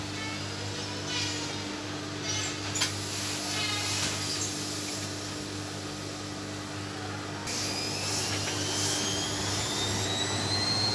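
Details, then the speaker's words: Side-door washing machine at full spin speed: steady motor hum and whir with no thumping, banging or shaking; the strong vibration the owner reported was put down to wrongly placed feet. "hai hai Hai aman-aman saja ya tidak terjadi getaran seperti yang di video dikirim oleh pemiliknya"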